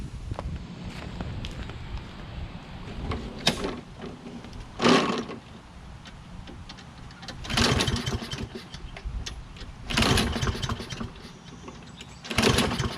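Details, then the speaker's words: Toro Recycler, Kohler XT675: repeated pull-start attempts every two to three seconds, each a short sputter that dies. Hard starting persists after spark plug and magneto checks ruled those out; carburetor now suspected, unconfirmed. "as you can see it wasn't the spark plug uh it wasn't the magneto or the spark plug looks like we have to drop that bowl on the carburetor and see"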